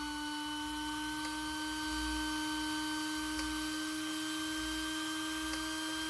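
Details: RC car motor cooling fan run on an external 6 V Ni-MH supply before fitting diodes: constant high hum with fixed pitch throughout; fan is too loud.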